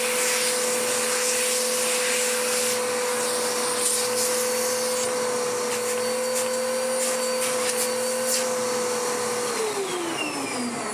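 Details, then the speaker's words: Dirt Devil DD6114 Electrolux Contour clone vacuum, before restoration, after belt settled in, height set to short pile: steady high motor whine with even airflow rush, airflow much improved; normal running. "It's running better now. The airflow has improved no end."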